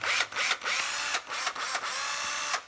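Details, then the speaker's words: 9.6V cordless drill, only its hook is broken: short bursts of smooth motor whine with quiet gaps, no grinding or clatter; runs very quietly. "rất là êm nhá"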